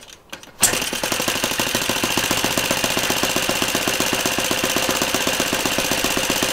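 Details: Laser 100 single-cylinder RC model engine, first run after 15 years unused, uncleaned: bursts into life then sharp metallic clanking on every firing stroke as front housing works loose; afterwards metallic clanking and knocking persists, sent off for repair.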